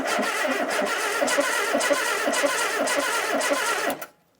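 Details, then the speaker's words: 1972 Ford Capri Mk1 barn find, stored since the early 1980s, cranked by bridging the starter with plugs in and no fuel; even, rhythmic chuffing about three beats a second, compression sounding balanced; no spark yet. "doesn't that sound nice that sounds good I haven't heard that sound for years no that sounds happy"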